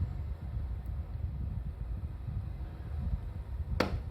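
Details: Mitsubishi MSZ-HR25VF air conditioner indoor unit with a low airy rumble and an occasional sharp crack or pop. The problem persists after a warranty replacement of the heat exchanger; cause unknown.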